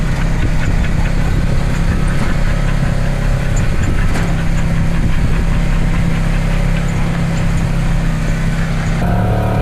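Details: 2012 Polaris RZR 900 XP4 that had driven only in reverse, running after a transmission rebuild and reinstall: steady, even engine drone with no grinding or clunks through the driveline; the machine sounds healthy and smooth.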